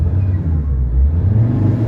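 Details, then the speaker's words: Ford Ranger 3.2 diesel with low power and vibration: deep, steady rumble rises cleanly and evenly as the pedal goes down; rpm recovered, pedal, ECM and rpm in agreement; normal throttle response. "sobrang galit na niyan guys. 000. So kung iapakan mo pa, the more mong aapakan, the more siyang magagalit."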